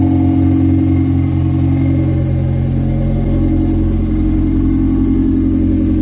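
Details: 1998 Honda CR-V running on open headers during oil pan gasket job: loud, deep, even exhaust drone with steady firing pulse and no knocks or rattles; sounds good.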